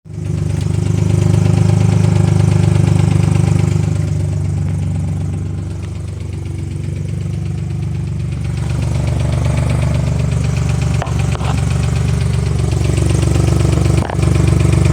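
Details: 2005 Ford Mustang at idle: light, regular tick about four a second over a deep rumble, louder when accelerating; owner unsure of source, suspects possible exhaust leak or other problem.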